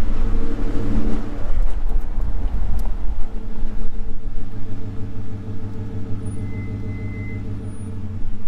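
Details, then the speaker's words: Pickup truck disc brakes giving short high-pitched squeals while slowing to a stop, heard from a window; quieter than usual at this moment, before treatment with disc brake quiet. "So yeah, it's louder though, man. It's right now, it's quiet for some reason, but it is louder than that."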